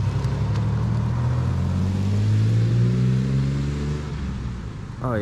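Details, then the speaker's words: 1997 Mustang, freshly rebuilt engine with replaced bent rod, now with dual Flowmaster exhaust hooked up; deep even drone swells smoothly with revs and settles without misses or knocks. Normal running. "sounds so much better it's got some dual flowmasters in there they were already in there when we got it and uh now that we got it hooked up it actually sounds pretty good that's nice"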